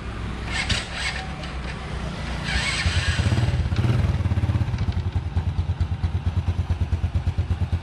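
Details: Honda Wave single-cylinder after repairing broken rocker arm and regrinding worn camshaft and rocker: steady, even idle putter with no clacking from the valve gear; running smooth and healthy.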